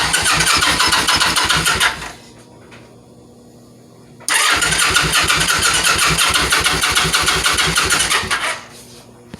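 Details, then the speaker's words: Kawasaki Vulcan 900, battery fully charged, fuel pump heard priming: two bursts of fast even cranking about three beats a second, never firing; cranks but no start, cause not yet found. "still nothing i gotta figure out how to get the tank off"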